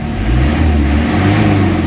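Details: Isuzu Crosswind diesel after XADO engine treatment for weak pull and throttle delay: strong, clean rise in engine note at around 1,500 rpm, no knocks or rattles; responding healthily, where it earlier needed about 4,000 rpm.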